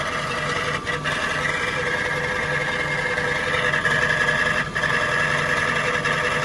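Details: Jaguar XK8 V8 at idle, heard from under the car near the transmission: loose, uneven rattle grows noticeably busier with the A/C on; source not pinned down, accessory drive or transmission suspected.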